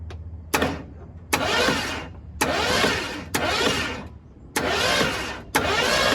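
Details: 1972 Ford F100 that sat for decades with a previously locked-up engine; repeated roughly one-second bursts of starter cranking with pauses, never catching: cranks but does not start.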